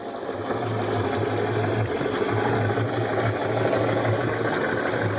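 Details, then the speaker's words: 2005 Yamaha F250 outboard, starboard motor: low throaty knocking pulsing unevenly over a steady idle, inaudible at full RPM; owner first doubted the lower unit, later found the lower unit had failed and was replaced. "while but it's definitely making a different sound like a throaty kind"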